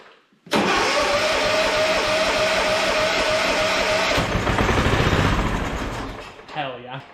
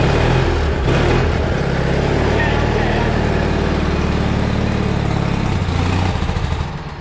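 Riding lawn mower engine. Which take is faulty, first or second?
first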